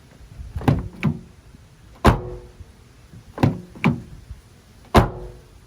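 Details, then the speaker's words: 2020 Toyota Tacoma doors, including rear doors, shut one after another: clean dull thunks with no buzz or rattle afterward; solid door close. "let's check the rear passenger or driver's side and this is where he had a noise nothing there nice solid hit no rattling around"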